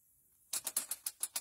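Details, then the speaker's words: 2011 Hyundai Sonata that died while driving and smoked at the starter: sharp, regular clicks as the engine is turned over, coming from the starter dragging on the flywheel; starter ground terminal found burnt. "you can see the timing chain moving but do you hear that noise where my pry bar is is the starter and listen the noise seems to be coming from the starter oh definitely coming from the starter"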